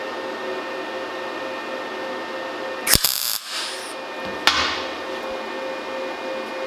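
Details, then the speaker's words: MIG tack welding thin auto body sheet metal, panel overhanging the table, at 17 volts and 5.6 m/min wire speed; trigger held very briefly, giving two short, sharp frying crackle bursts well under a second each: normal quick clean MIG tacks. "So that's those three there. And you can hear how short of a time I'm holding the trigger on for."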